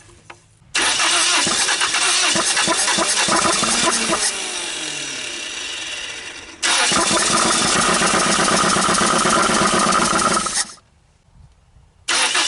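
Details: 1980 Dodge Colt Challenger (Mitsubishi Galant), carbureted four-cylinder, sat 20 years, started on gasoline poured into carburetor: catches, runs ragged a few seconds, dies, fires again briefly; won't keep running, carburetor missing parts, owner suspects vacuum leak.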